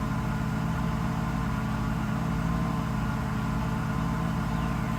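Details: Mercedes SL600 after mass air flow sensor wiring repair: low, even idle hum at constant pitch with no surging or hunting, and RPM no longer jumping as it did before the repair; MAF readings are back. Normal idle.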